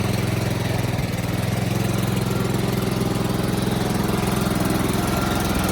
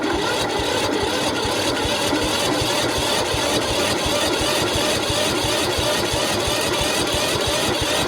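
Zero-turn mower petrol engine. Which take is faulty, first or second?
second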